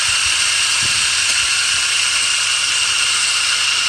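Constant high hiss and whir with a faint steady tone, no change over the clip; a noisy engine pulley, exact source unclear.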